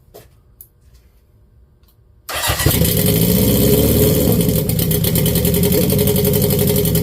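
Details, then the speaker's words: Honda CB750 turbo pro-mod bike in neutral, fuel pressure up, first start meant only to prime oil but it fired instantly: firm, regular beat at idle, smooth and even, no leaks seen; healthy running. "And of course, I was just going to crank it for a second to get some oil down there, but it started right up."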